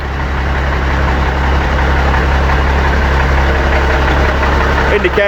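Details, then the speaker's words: Seddon Atkinson 311 Cummins diesel truck yard find, air building up after start: steady even low rumble, smooth idle with no knocks or misses, said to sound sweet as a nut and hold all its fluid; normal idle. "It sounds sweet as a nut and it does hold all its fluid."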